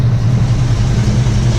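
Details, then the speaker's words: Rebuilt Ford 289 V8, first start after rebuild, still burning off antifreeze steam, before setting timing: steady even idle, deep smooth burble, no misses, knocks or ticks; runs healthy. "I'm happy it started up it seems to run good nice and smooth so I'll get this tightened up and then we'll do the timing"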